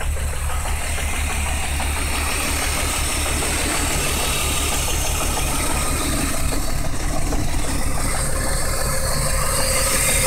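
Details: BMW 328is M52 engine with swapped-in S52 (M3) camshafts, timing possibly off after the swap; low uneven knock about three per second through a steady idle drone, cause unknown.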